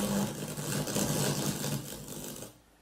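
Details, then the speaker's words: NAD 7020 receiver at switch-on: harsh crackling hiss with a low hum, like radio static, that then fades out, from a worn power switch arcing. "as soon as we turn this on with this power switch it makes that horrible noise that kind of crackling that harking noise that it's like if you're trying to tune in a radio station you're not getting any reception"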